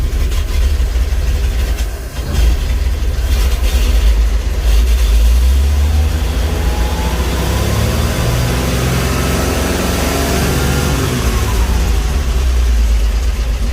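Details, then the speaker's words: Nissan G60 tow truck with a carbureted petrol engine, free revving after months of sitting: it climbs smoothly and returns cleanly with no misses. It revs up okay but smokes heavily, and otherwise runs well. "And it actually runs really good. Plenty of fuel going into that carburetor. smoky as anything. That's really cool."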